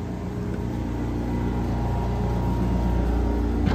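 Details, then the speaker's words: Old Honda EV6010 generator heard from inside a truck insulated with R13, just after first start: steady even low drone with constant beat and felt vibration, no knocks or misses; running smoothly. "See how loud it is inside the truck. Now this is a fully insulated with R13 Yeah, you can kind of hear it and you can feel it vibrating through there."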